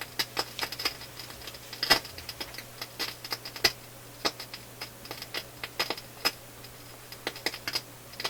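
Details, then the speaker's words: Philips console stereo receiver on auxiliary input, heard with ears near the speakers: irregular sharp pops and crackles over a low hum, different in each channel, mostly one side; intermittent fault, culprit not yet found. "ears up near the speakers and there is crackling coming out of both speakers but it's not the same crackling mostly out of the other this way channel"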